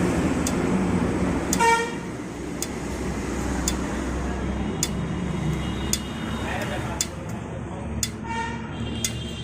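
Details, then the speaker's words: Honda Livo motorcycle just parked on its stand after riding: sharp metallic ticks about once a second from the hot silencer, slowing as it cools, with street noise behind; normal exhaust cooling sound. "आप कभी भी bike को चला के आते हैं और आप स्टैंड पर खड़ी करते हैं तो खड़ी करने के बाद आपने नोटिस किया होगा नहीं किया है तो करना कि एक टिक टिक टिक की आवाज आती है"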